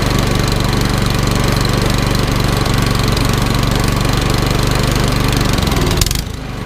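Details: Troy-Bilt Storm 2410 snowblower with a Power More single-cylinder engine, which sat all summer with stale gas fouling the carburetor. After the carb repair and idle screw adjustment it chugs at a steady fast idle for six seconds, evenly, without surging or missing.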